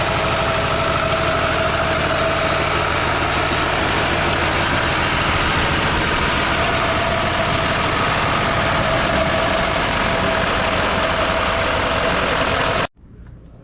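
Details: 1924 Ford Speedster, started via floor starter button, thought to have plenty of fuel; old engine chugging at a steady, even idle with loose mechanical rattle over it, then cut off; runs fine, normal idle.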